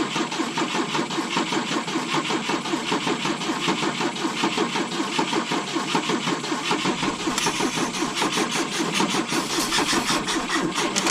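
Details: 1972 Volvo 145 on rigged fuel with vacuum ports plugged: long steady cranking, slightly uneven at roughly eighty beats a minute, never catches; hard start because plug wires were off.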